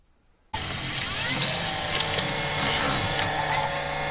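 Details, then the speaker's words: Panasonic HD100 VCR after repair, tape now loading smoothly: steady, hissy high whir starting abruptly as the head drum spins up, rougher than normal; abnormal head drum noise. "再次试机，进带很顺畅。那么问题又来了，可以听到齿骨有异响。"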